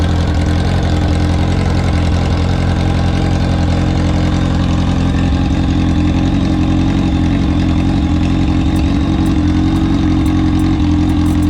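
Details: Kawasaki ZX-10R drag bike idling after three years in storage, fuel pump rebuilt and tank cleaned: strong even idle with a steady low burble, no misfire or knock; normal idle.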